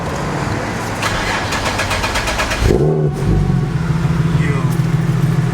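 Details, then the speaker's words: Nissan 370Z with a newly installed ISR exhaust, started after reinstalling a Walbro 255 fuel pump. It cranks with fast clatter, catches, then settles into a rough, uneven idle with an odd buzzing note; abnormal sound, cause unclear. "Is it supposed to sound like that though? Bruh. So we sort of figured out the problem."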